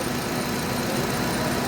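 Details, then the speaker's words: 2013 Hyundai Elantra petrol engine idling smoothly after repair of a misfire traced to a non-working No. 3 ignition coil; steady even hum, rpm stable, no stumbles or skipped beats. "ये 3 number coil था, ये काम नहीं कर रहा था, अभी अल्हम्दुलिल्लाह बिल्कुल बराबर है।"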